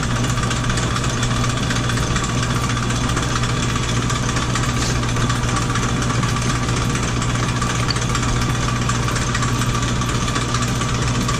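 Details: Sidney lathe, about 100 years old, with flat belt drive, feed being engaged. A steady mechanical hum with a constant low drone and light gear chatter, no grinding or clunks; it runs normally under feed.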